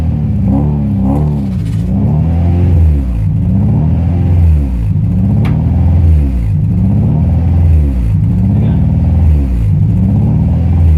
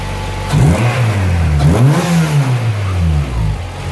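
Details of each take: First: Honda Prelude H22: idle rises and falls about every two seconds and never settles, an idle surge from a vacuum leak at the intake manifold gasket. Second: Honda Prelude H22 after replacing the leaking intake manifold gasket (vacuum leak causing idle surge): couple of quick rev blips then a smooth, steady idle with no surging.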